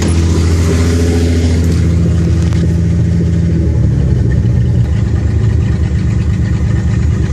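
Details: Engine at idle after freezing at around -13F and thawing, with fresh stronger mixture added and a rotted hole in the exhaust: loud, lumpy low rumble with a blatty edge; owner suspects a misfire.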